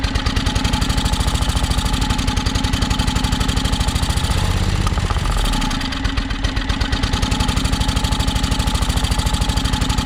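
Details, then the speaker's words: John Deere X485 lawn tractor project, fresh fuel in tank; engine thumps at idle then sags and slows mid-clip before recovering, running rough; owner suspects fuel starvation, possibly tank air pressure, not confirmed. "sounds like it's definitely um sounds like it's starving for fuel i'm wondering if it doesn't have something to do with the air pressure"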